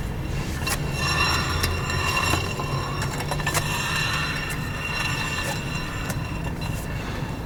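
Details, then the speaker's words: Renault Logan (also Sandero/Lada Largus) front wheel jacked up, out of gear, turned slowly by hand: repeating dry scrape each turn, worn front brake pads rubbing the disc, cause of wheel squeak; fix is pad replacement. "Поддомкратили, сняли с передачи и переворачиваем колесо, и как можно услышать, колодки вовсю терутся об диск. До такого состояния тормозную систему лучше не доводить."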